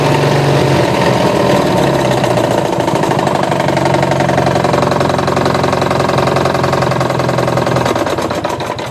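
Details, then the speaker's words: Engine at idle after running low on oil: hard rapid knock around 220 beats a minute; connecting rod came loose on a worn crank, owner considering replacing the engine. "thinking about replacing the engine it's got that knock in it because the crank is worn"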